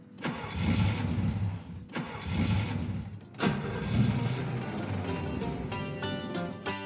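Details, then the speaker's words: Classic Pontiac that sat about 30 years, being converted to EFI: three sluggish cranking attempts of a second or two each that never catch. Every fuse-panel pin drops to about 1.5–2 V while cranking; the cause of the voltage drop is not yet found. "I just Every single pin on this fuse panel drops to about a volt and a half, 2 volts when cranking."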